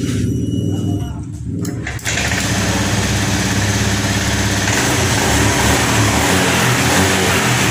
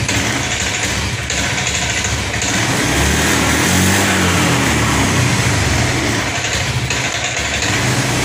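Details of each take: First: Honda Scoopy ESP FI automatic after tank cleaning, restarted on its original fuel pump (no external pump) at 30 pressure; catches after brief crank, runs steady with clean revs, no bogging; now stable, not ngempos. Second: Honda Scoopy ESP FI automatic sputtering after tank cleaning, on external fuel supply at normal pressure, EOT sensor connected; holds rough idle but bogs and falls flat on throttle, only idles; clogged injector.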